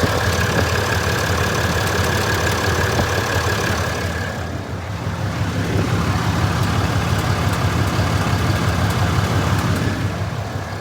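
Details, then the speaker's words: 2020 Ram 2500 mega cab, fifth-gen Cummins diesel, 190,000 miles, idling: sharp regular tick about three per second over the diesel clatter; common valvetrain tick, owner notes a cam conversion is a usual fix. "It's so loud. I might be like a thousand over my my mileage right now, but I guess it's a really common issue with these fifth gen Cummins."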